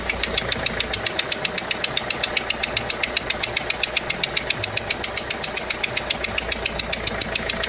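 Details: Renault 1.5 dCi diesel at idle: sharp crisp ticking about 220 a minute over the quiet idle, compression loss through a leaking injector seal.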